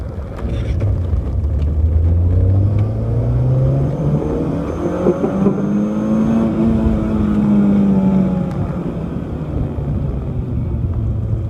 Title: Clio 182 high-rpm misfire